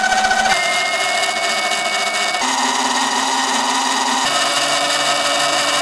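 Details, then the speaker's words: Sur-ron LBX electric bike after belt tension adjustment (belt movable about 0.5 cm): clean motor whine rising and falling with speed, belt whirr mostly gone; chain ticking now more audible. "as you can hear most of the belt sound is gone and the bike sounds a lot less winey"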